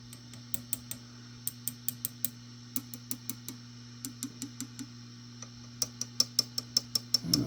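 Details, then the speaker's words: Vox AC15 tube amp, hot and idling after swapping the 12AX7 preamp tubes for new ECC83s, under a tap test: each tap rings through the speaker, some with a high metallic ping; possibly microphonic tube, uncertain. "that one still sounds a little high pitched maybe that one's always naturally High maybe I've replaced it in vain"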